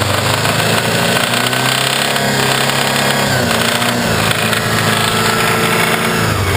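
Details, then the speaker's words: Subaru Legacy engine run with cam belt covers off, no alternator or cooling connected: loud, busy clatter over fast-running engine; not tensioners or pulleys, seems internal, owner fears engine failure. "sounds like it just sounds like it's coming from inside the engine"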